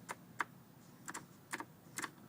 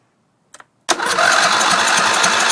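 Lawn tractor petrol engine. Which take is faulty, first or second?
second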